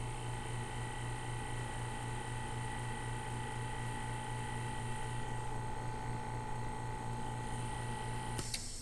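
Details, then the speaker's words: Homemade auto-cycling vacuum pump for vacuum bagging, built from a kit, first test after wiring. Steady low hum for eight seconds, then a click as it cuts out at around -17. Holds -16 to -18; healthy, quiet running. "Turned off at around 17, negative 17. So that's pretty good. It runs nice and quiet."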